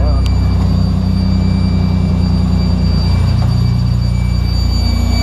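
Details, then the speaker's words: Mitsubishi Pajero 4WD at first start after fitting a new throttle body and headers, idle not yet reset: deep, steady drone with faint irregular puffing underneath. Owner suspected the abnormal noise was a small air leak at the gasket and snugged it. "I think I figured out what it was. Must have been a small air leak just around the gasket area."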